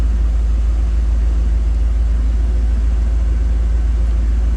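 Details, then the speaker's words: 1990 GMC 350 small-block V8 after engine swap, at about operating temperature before timing is set, idling through Thrush muffler and Cummins exhaust tip: deep, even rumble with steady low pulse, no knocks or ticks; normal idle. "that makes me so happy to hear that sound I just love Chevy sounds dude"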